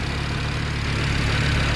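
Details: Rebuilt DAZA engine at about 117,000 km, auto start-stop deactivated, before oil change: steady, even low rumble at idle with no knocks, ticks or misses; healthy idle.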